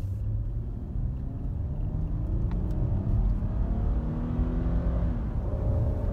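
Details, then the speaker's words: 2016 Ford Explorer 3.5 L with about 161,000-165,000 miles, after replacing all original coils and plugs for an extreme misfire with no codes; starts smooth, then a strong, even rumble under hard throttle on a test drive with no skip. "so let's see how this thing starts that's smooth as butter running great now we're gonna go for a test drive here we go test drive and hit it"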